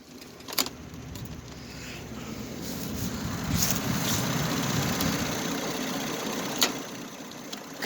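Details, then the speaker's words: Husqvarna YTH2454 riding mower cold start attempt at 28°F in wind, on jumper cables with a bad cable connection: slow, labouring cranking that never catches or fires; battery dead, no start. "there's a bad connection wiggle these cables a little bit definitely dead"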